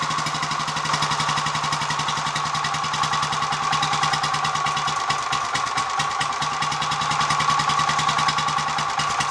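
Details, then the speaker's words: Royal Enfield 500 Machismo with electric start, after repair and switching from ATF to thicker 20W-50 oil to quieten the starter sprag gear, cold with choke on: even regular single-cylinder idle, no clatter from starter side; sounds better. "I hope I'm not being biased but I think that sounds a bit better already let see what happens when it warms up a bit"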